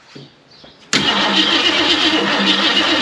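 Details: 1969 Ford Mustang Fastback, first crank in 30 years, valve covers off checking top-end oil, distributor disconnected: steady whirring crank about four beats a second, no firing; cranks freely, oil reaching most rockers.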